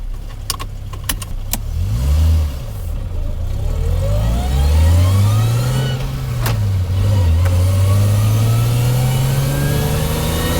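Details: Toyota Chaser JZX100 after an R154 manual swap with a DIY driveshaft extension, test drive: accelerating from low revs gives a rough, uneven drone with odd knocks that smooth out at higher rpm; driver unsure whether normal.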